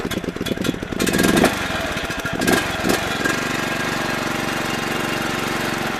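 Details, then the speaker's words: 17.5 hp Briggs & Stratton OHV mower engine (John Deere D100) after camshaft replacement for broken decompression release, new oil, swapped carburetor, started on choke after sitting overnight: catches with loud bursts, settles to a steady single-cylinder putter, idles down fully; normal running. "I can even idle it all the way down there. That's all the way down."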